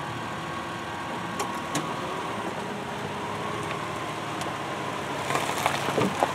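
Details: 2002 Subaru Outback L.L.Bean, whose exhaust heat shield rattle is being repaired. Smooth, steady idle with an even low hum and no rattle from underneath: normal idle.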